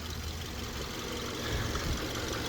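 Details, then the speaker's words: 2013 Subaru Crosstrek idling just after an oil change: faint, even idle with a soft steady hum and no rattle, chirp or bearing noise from the belt pulleys; a healthy engine. "This sounds pretty good for that age, doesn't it? 2013."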